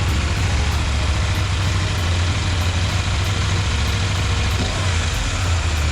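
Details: KTM 890 Duke engine running, cam chain tensioner comparison (OEM vs Dirt Tricks upgrade): steady even low rumble with no obvious cam chain rattle or clatter.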